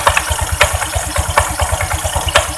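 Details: Honda Vario 125 scooter at idle, throttle closed: quick uneven knocking with loose clacks from the CVT belt case. Worn variator roller slider pads rattling at low revs, before the front pulley is opened up.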